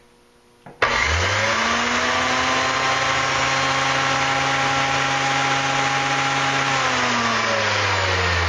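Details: Antique Sunbeam electric dual-blade mower, plugged in: motor spins up to a steady even whine with one blade turning, the other side's belt gone; missing blade drive belt.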